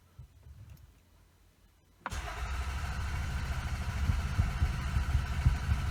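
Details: Toyota Camry with EFI fuse pulled: starter churns the engine steadily about four seconds without catching; cranks but no start with no fuel injection.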